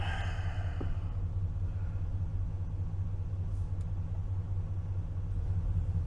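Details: 2012 Ford F-250 6.2L gas V8, about 274,000 miles, after replacing the oil pressure switch/sending unit: a smooth, even, steady idle with no knocks or ticks. The gauge shows good oil pressure at low RPM and no lights, so it is fixed.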